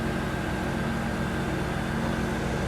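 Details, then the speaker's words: Cold 1994 Chevy Corvette V8 at idle after new distributor, cap, rotor, plugs, plug wires and water pump: steady recurring constant miss, possibly more than one cylinder not firing; cause not yet found. "It has a miss. Listen to it. Constant miss. Feels like maybe more than one"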